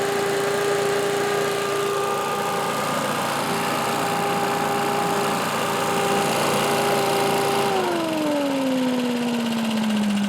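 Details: Old Lindell Litter Gitter yard vacuum's small engine, after new carb gasket: steady high buzz at an even pitch, then easing smoothly down as the throttle drops; running cleanly.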